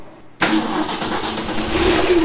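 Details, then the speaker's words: 1966 Ford F100 with 300 inline-six and 4-speed manual, one-owner farm truck that ran when parked: catches instantly after a short crank into a steady, even idle, 40 psi oil pressure, charging about 30 amps; healthy start. "40 pounds oil pressure charging just about 30 amps"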